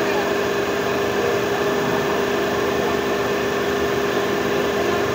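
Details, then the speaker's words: Renault Kwid Climber after water pump replacement, coolant refilled and air bled from the heater pipe: steady, even idle hum with faint constant whine, earlier noise gone, no knocks, rattles or squeal. "आता इ आवाज बंद झाला पूर्ण आवाज येतो बंद आहे ठीक"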